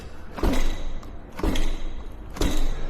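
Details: Segway GT3 Pro scooter, just back from repair for shutting off during regenerative braking: dull thuds with a loose rattle from the rear wheel area as it is bounced; owner suspects something loose inside the rear hub motor or deck.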